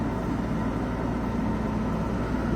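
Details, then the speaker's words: Pulsar PG2200BIS dual-fuel 2200W generator powering a Coleman 13.5k BTU low-profile RV air conditioner without a hard-start capacitor; steady even drone, no surging or hunting as the compressor starts and runs on high; normal running under load. "you can hear the compressor start to run and the air is already called much colder than the fan certain"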